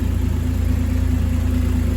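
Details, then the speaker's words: Ford FG Falcon G6E turbo six after maintenance and mods (new plugs, centre muffler delete, intake upgrade, fuel filter): smooth even idle, steady low rumble, regular exhaust pulses, no misses or knocks; healthy. "oh yeah go again sounds like a turbo car sounds like it should beautiful"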